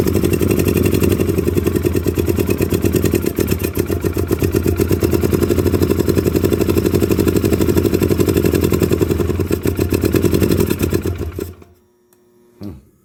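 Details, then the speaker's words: 2009 Polaris Sportsman 800, sat months, after fuel pump fix, running with throttle held: uneven, lumpy beat with irregular misses for about eleven seconds before cutting out, smoking; needs injector cleaner. "there we go yeah she is definitely not happy oh it's only been sitting them a couple months"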